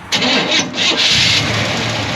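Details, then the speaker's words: 1971 Chevrolet C10 frame-off restoration, 350 cubic inch small-block V8 with dual exhaust: brief crank, fires right off and settles into a steady, tight, smooth idle with no funny noises; healthy start. "350 fires right off, nice and tight. No funny noises. Nice and smooth."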